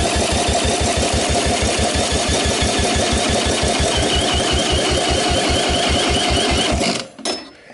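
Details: 1984 Honda ATC 200S single-cylinder engine cranked with a drill on the electric starter, plug out, for a compression test (about 80 psi on a dying battery): steady, even cranking pulses about three per second with no firing. Normal cranking; the engine appears solid.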